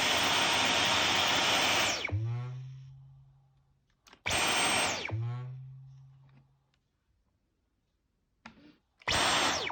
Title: Strange noise brand-new Dyson V 11 animal